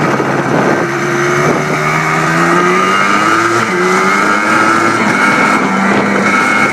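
Crisp two-stroke buzz climbing and dropping cleanly through the revs, with no knocking or rattle; a healthy-sounding engine.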